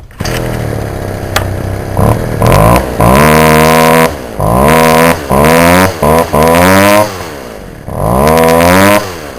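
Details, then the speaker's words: Warm Poulan Wild Thing homeowner chainsaw after carburettor low/high screw adjustment, possibly needing a compression ring: small two-stroke snaps up crisply to a high buzzing scream on each throttle pull and drops back cleanly; normal running after carburettor adjustment. "yeah that's um the cooling Wild Thing chainsaw that I have uh does pretty good for a little chain homeowners chainsaw"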